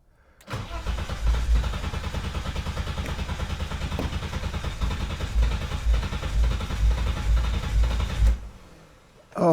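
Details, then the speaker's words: BMW E30 325i forest find, not run in years; starter churns about two pulses a second with faint attempts to fire that never catch; fuel starvation from clogged fuel injectors, later removed and cleaned. "she wants to start so much"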